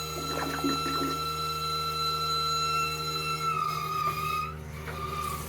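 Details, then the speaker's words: Steady, even high squeal from a toilet flush valve, wavering as the last water spits clear, during winter shutdown of a 1969 beach shack water system with about 20 PSI air pushed through; only air is leaving. "Flushing the toilet sounds normal at first. But, as air starts to come out of the flush valve, it'll start to squeal. You want to hear that squeal sound nice and even, and that's how you know that nothing but air is coming out."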